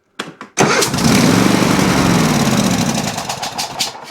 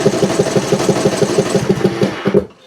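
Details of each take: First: Riding mower engine cranks briefly then starts instantly and runs steadily after choke linkage adjustment fixed no-start; owner suspects a blown head gasket from the sound. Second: Briggs Intech engine on riding mower or zero turn, in choke position but choke plate not actuating: steady starter cranking, about six compression beats a second, never fires; hard to start cold.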